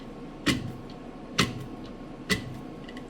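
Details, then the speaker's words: Whirlpool direct-drive top-load washer with a two-part agitator, wash cycle with towels fully submerged: steady, sharp thump a little over once a second with water swishing. This is the normal agitator kick, meaning it is reversing properly. "call it an agitator kick, and that's what you want to hear. That's how you know your clothes are getting clean."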